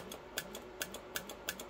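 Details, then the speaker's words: Siemens S7-1200 PLC digital output switching a relay that drives a small fan, triggered by a push button on a digital input: sharp dry clicks, a few per second and unevenly spaced, over faint fan hum; normal relay switching. "turns on the relay which you can hear clicking there and that starts that fine"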